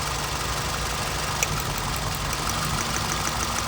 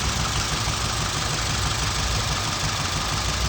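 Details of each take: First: 2007 Scion tC petrol engine idling smoothly and evenly after replacing the faulty ignition coil that had caused a misfire, check-engine light and heavy shaking; no stumble or missed beats now. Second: 2007 Scion tC petrol engine idling and shaking hard with check-engine light on; misfire traced to ignition coil, unplugging this one brings no change in sound or engine movement, showing it is the failed coil; uneven, lumpy low thrum.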